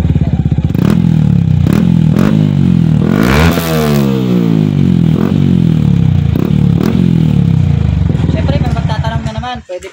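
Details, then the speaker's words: Yamaha Sniper 155 with aftermarket hand/power pipe on stock ECU: deep, bassy single-cylinder note blipped sharply up and back; loud open exhaust, large pipe bore expected to change AFR and need remap or aftermarket ECU. "So ano siya, mabase yung tunog niya."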